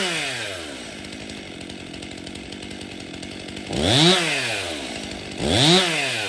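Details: Stihl MS261 M-Tronic 50cc chainsaw after full service, new fuel solenoid, new bar and chain: idles steadily, then rips up to a clean high scream twice and drops back evenly; responsive, healthy running.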